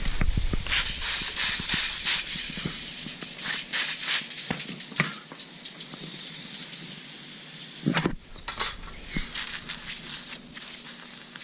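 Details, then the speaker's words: Nissan 240SX S14 KA engine with stalling issue, boost leak test with engine off, bumper removed, one clamp replaced: loud hiss flaring as pressure reaches 10 psi, a second leak at an intercooler coupling that only leaks under enough pressure. "it's kind of weird doesn't leak unless it's enough pressure I guess but there we go 10 psi and boom"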